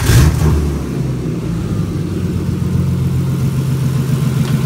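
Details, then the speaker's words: Turbo S52 six in an RHD BMW E30 touring, after swapping to Deka 60 lb injectors that cured no ignition on cylinders 1, 2 and 5: short start-up rev flare settling into a steady idle without misfire; normal idle. "just smooth as silk now, which is awesome."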